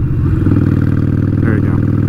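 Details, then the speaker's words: Motorcycle riding at about 40 mph, after downshifting from fifth, where it was lugging: deep, even V-twin thump pulling steadily without labouring; normal engine note under load in the right gear. "so see right now the bike is kind of its kind of lugging right I'm not supposed to be in fifth gear at like 40 miles an hour so I'm going to downshift"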